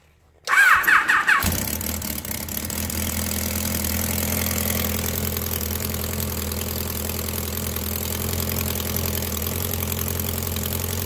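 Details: 1999 Kawasaki Concours ZG1000 with 54k miles, after a valve adjustment, valve cover on: catches and settles into an uneven idle with a light top-end clatter. Cause: the cylinder three intake cam follower has a quarter-inch groove worn into it.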